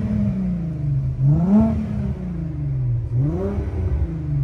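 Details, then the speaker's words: 1983 VW Rabbit GTI MK1 with VR6 swap, new Walbro 255 inline fuel pump from gravity-feed tank: two clean throttle blips, note rising and falling smoothly with even exhaust burble; engine revs freely, sounds good. "sounds really good so hopefully it holds like this"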